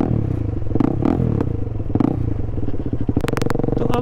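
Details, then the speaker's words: KTM Adventure 390 single-cylinder riding along: loud, blatty, uneven low thumping and rattly clatter, far too open, because part of the exhaust fell off after a screw came loose. "अबे यार कितनी तेज आवाज आ रही है बहुत ही तेज आवाज आ रही है इसका एग्जॉस्ट निकल के गिर गया"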